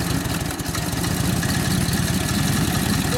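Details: 1942 Harley-Davidson WLA 45ci flathead sidevalve V-twin, rebuilt and tuned up after sitting a few years: loose, loping beat that runs on without sputtering or dying; running healthy and pulling well.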